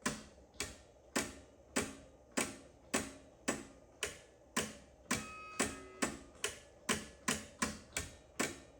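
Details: Edsel with the key on and the engine not running. A sharp, even tick about twice a second, near 107 per minute, from the push-button shifter mechanism ticking on its own.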